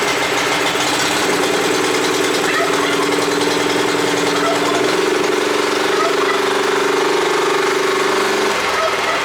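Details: Neglected Honda F810 rotavator single-cylinder petrol engine, bought as a non-runner, after carburetor cleaning: settles into a steady, even run with a constant hum and no knocks or misses; running properly.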